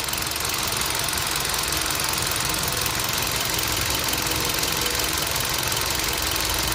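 Engine at idle with a light, fast, somewhat uneven ticking riding over a hissy top end: an engine tick of unknown origin.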